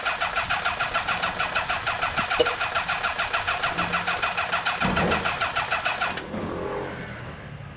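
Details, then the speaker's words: Kawasaki ZL600 motorcycle with new coils, tuned carbs and valves done: quick, regular cranking pulses about three a second for six seconds with no firing at all; crank-no-start, with the plug leads in the wrong firing order. "something's going on there what could it possibly be what could it be something's going on there guys um i have no idea it could be like for example these two could need switching"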